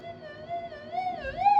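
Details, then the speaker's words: Minelab SD2000 metal detector, 25-year-old electronics, being fine-tuned: the search coil's two loops are not yet equal, so a warbling whistle wandering in pitch lets a little interference through before the coil is squeezed to balance. "Mine's close enough at the moment, but yeah, I can hear a little bit of blurb coming through."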